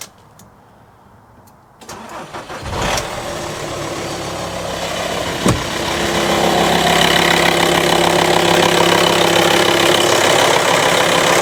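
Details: VW T5 Transporter (pre-facelift) diesel, first start after fitting a home-built all-aluminium intercooler and reconnecting hoses: cranks briefly, fires, settles into even clatter, revs rise smoothly with no hiss or whistle of a boost leak; sounds normal.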